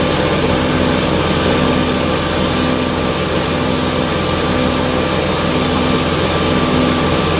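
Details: Kubota BX snowblower clearing snow on a steep gravel driveway after auger drivetrain lubrication: constant high-pitched engine drone with steady auger whir, occasional rocks sucked through the auger, no knocks or grinding; running normally under load.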